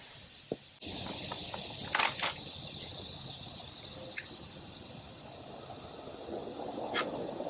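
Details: 2023 Honda Goldwing rear tire, nail just pulled out and broken off about an inch long: sharp hissing rush of escaping air that slowly fades, with a few handling clicks, before reaming and plugging.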